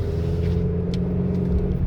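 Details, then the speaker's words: 2023 Chevy Colorado Trail Boss on new, more aggressive 33-inch mud-terrain tires (up from 32), driving slowly: steady low drone with faint even tire hum, noticeable but not bad, truck-like; normal mud-terrain tire noise. "it's not terrible um but it's noticeable can you hear it a little bit can you hear it a little bit but but it's not bad it's not too bad um it sounds like a truck right it sounds like you're riding in a truck"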